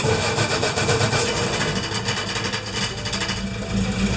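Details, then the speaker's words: Crosley engine, dead cold, cranks evenly at about four beats a second with no grinding, then catches and runs, after a starter fix; the starter used to grind, spin or clank. "So it's actually running. That is a huge difference from what was happening before."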